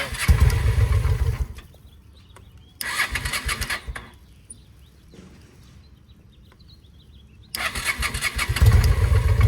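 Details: 2007 Honda Shadow V-twin after a new clutch: it cranks, catches in short rough bursts, dies, then cranks again with uneven low firing. It knocked earlier and seized briefly during an oil check while running; oil was drained. Cause unknown.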